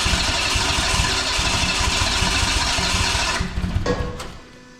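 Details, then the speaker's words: Renault 5 GT Turbo engine in van, first start after correcting first tooth angle from 80 to 50 and unlocking ignition angle: loud lumpy uneven running for about three seconds before dying; runs rough, still needs work. "so now big bang oh mate like a [ __ ] kitten well a pretty rough kitten but still it's"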